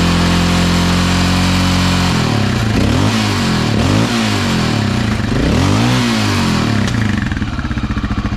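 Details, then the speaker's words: Honda XR650L after the factory decompression mechanism was refitted and the exhaust valve adjustment was fixed, fully warm after about 15 minutes with the choke slightly on: an even idle thump, then clean rising and falling revs with no knocks or ticks; whisper quiet. "Had the choke on just slightly. That motor sounds whisper quiet. Don't know what he was referring to."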